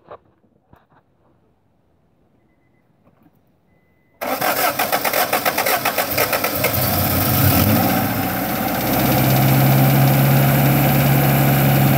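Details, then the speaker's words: Honda H22A 4-cylinder cold start after cleaning the fast idle valve air channel with throttle body cleaner: short crank catches, revs rise to a moderate fast idle, not too high, then settle steady; slight hard start from the cleaner, normal. "waving not too high it gave little heart start because of the throttle body cleaner that I sprayed in there that's normal so so far is idling very nice actually here to sound very nice"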